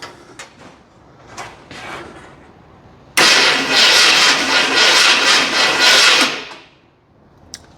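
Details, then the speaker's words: 1981 Ford Bronco first cranking test, rear jacked up, shifter in park, in shed at night, coil lead not yet on distributor; three seconds of harsh, loud, high-pitched whir, no firing; engine turns freely but starter very noisy. "That's a very noisy starter too. It's very loud. I don't know if it's because I'm in the shed and it's night, but that's loud."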